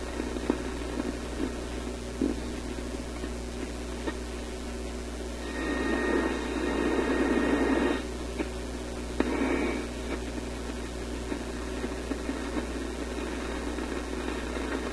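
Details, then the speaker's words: European vacuum tube radio after fitting two new filter capacitors, outdoor antenna on the shortwave input: steady mains hum under hiss and crackle with louder bursts; a shorting capacitor is suspected, not confirmed. "Sounds like a shorting capacitor, doesn't it? What's going on here?"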